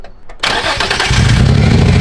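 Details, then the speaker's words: Cold start catches and settles into a muffled, lumpy, uneven idle, clearly down a cylinder; power steering pump also audibly noisy, likely needs a new pump. Misfire, cause not confirmed. "Oh yeah, it's down a cylinder for sure. That and the power steering pump, you can hear it. Sounds like death."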